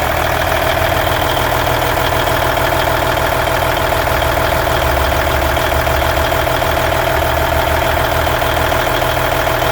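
Diesel idling with a regular tapping at about 200 per minute over the clatter; an abnormal idle noise, source not yet pinned down.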